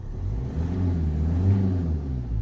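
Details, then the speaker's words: VW Golf 5 TDI 105 hp diesel, automatic, in neutral, heard through the lowered window after fitting a new high-performance air filter: short throttle blips rise and fall cleanly, no hesitation, whistle or knock; engine heard much better; normal revving. "déjà on entend beaucoup mieux le moteur."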